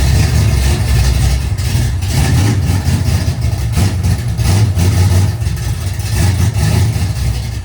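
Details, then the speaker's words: Race car on its last run: loud lumpy running with uneven surges and dips, as if intermittently dropping a cylinder; owner suspects fouled plugs. "You can tell she's not running the best. I think we fouled the plugs in it or something."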